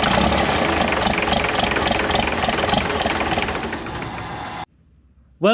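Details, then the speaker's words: P-pumped 24-valve Cummins swapped into a 1968 Dodge W200, first start after valve lash adjustment: clatters unevenly and dies, running only on ether; fittings not sealed, letting air into the fuel; hard starting. "we kind of got it started. Um, I had to kind of limp it by with some ether. I mean, at least I know the motor's like not inoperable."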